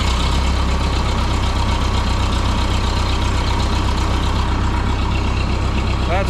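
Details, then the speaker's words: 1951 Ferguson TO-30 tractor with cleaned original spark plugs, intake okay: even steady low idle putter, no misses, knocks or hunting; running like a champ after days of fuel, air and spark troubleshooting. "before we finally found the magic touch it's running running like a champ"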